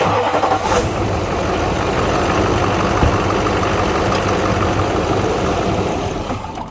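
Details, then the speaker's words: Duramax LLY diesel starting after fuel leak repair with fuel system partly bled: catches and runs rough a few seconds then dies out of fuel, air in the fuel system needing re-priming with the hand pump. "There it is, see? It's out of fuel, guys. So you gotta pump it again."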